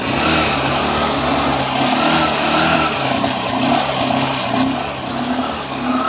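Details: Honda Shine after a low-cost full engine rebuild and refit: even, steady single-cylinder putter with a smooth beat and no tapping or knocking; engine running clean and healthy.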